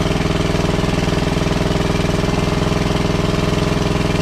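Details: WWII Chore Horse 300-watt battery charging set, model CH1 395-5, original 1940-41 paint, after slight throttle-screw adjustment: crisp single-cylinder chuff steady at about three and a half beats a second, no misses or surging; running well, works great.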